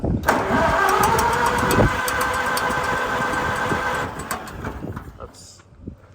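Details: Farmall M tractor, carburetor leaking fuel, choke on: starter spins about four turns a second for nearly four seconds and never fires; cranking no-start, flooded with too much fuel.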